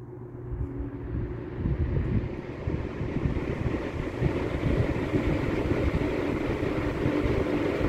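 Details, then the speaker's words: Late-1950s Sears Homart 20-inch box fan with universal motor on high, after its loose wiring was repaired: smooth, even whoosh with no grinding or buzz, where it once hummed and ground; normal running. "and that is much quieter than it was before before it just made like an awful like humming almost grinding buzzing sound"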